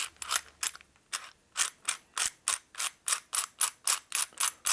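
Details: 1961 Harley-Davidson XLCH Sportster customer-rebuilt transmission and motor, zero miles, on the bench during inspection. Even clicking, about three or four a second, as the gears are turned by hand; they mesh smoothly with no binding.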